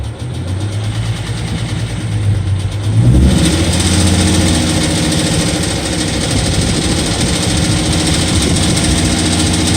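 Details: 2012 Ford Mustang 3.7 engine idling with a light, fairly quick tick running through its steady hum; cause unknown to the owner.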